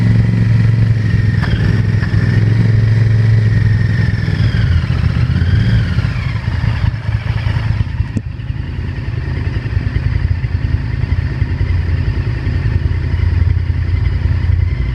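V-twin idles and blips with an uneven clattering knock beneath the exhaust beat that stays present as revs rise and fall.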